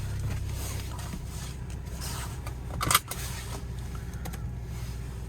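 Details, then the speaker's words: 2006 Audi A4 Quattro, about 187,000 miles, started from driver's seat: low smooth idle rumble, even apart from a brief handling clatter; no check engine or transmission lights; normal idle. "the engine runs nice and smooth there's no check engine lights or transmission lights or anything like that"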